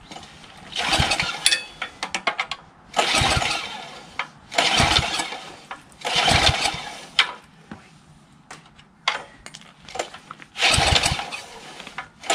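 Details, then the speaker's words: Craftsman 3 HP Tecumseh lawn edger with water in the engine, oil changed: repeated pull-cord attempts with a brief cough, never catches; spark present but carburetor corroded and iced, so fuel not getting through. "i doubt it though because the carburetor is filled with ice so i'm going to try to put um fluid all the way through the intake"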